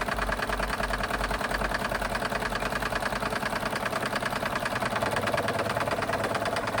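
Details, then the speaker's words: Wilesco D32 steam engine on its first run after restoration, boiler water a little low: quick, steady, even chuffing at about three beats a second with no rattles or knocks, some gurgling; the engine runs healthy. "This is a really early days run, but it don't sound like like a bad engine to me. No rattles. You can hear it gurgling."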